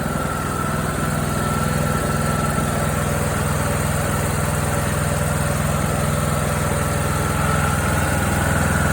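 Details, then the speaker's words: John Deere D105 with Briggs & Stratton Intek 17.5HP, which seized from oil starvation while mowing; after circulating oil and fitting a new Champion RC12YC plug, first restart gives a steady, even single-cylinder thump with no knocks or misses; long-term survival uncertain. "Yeah, I don't know. I don't It sounds okay. It's running."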